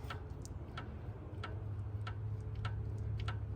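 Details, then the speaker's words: 2008 Ford Escape V6 with a front-end clunk, front wheel off and rocked by hand: light sharp knocks about every half second; worn outer tie rod end. "Uh-oh. It sounds like it. Yeah, guess what that is? Your rack and pinion? Outer tie rod. Outer tie rod."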